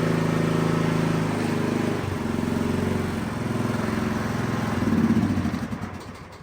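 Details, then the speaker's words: Riding mower hard to start when cold: at full throttle, applying full choke makes engine run stronger instead of sputtering; choke not closing, owner suspects misaligned choke cable. "All right, so I don't know if you heard that, but what I was wanting you to see is when that was full throttle, and then when you go all the way up, it should choke and spit and sputter. Well, it just went stronger."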